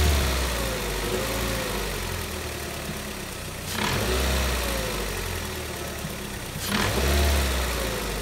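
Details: Engine heard from outside, idling with two throttle blips; a knock rides over the idle, cause not known.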